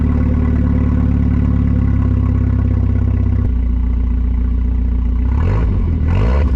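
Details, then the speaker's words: 1990 Volvo 740 that failed safety inspection, running with muffler removed: very loud, deep, raw exhaust drone at idle, blatting with each rev. "kind curious what this thing sounds like we without a muff Weare on it shall I find out let's find out"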